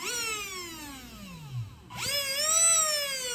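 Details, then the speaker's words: RC car with HobbyWing 1060 ESC after replacing its on/off switch: motor whine winds down to a stop then spins back up smoothly with steady rising tone; motor and controller working normally. "so yep it's all working guys that's good news for me now"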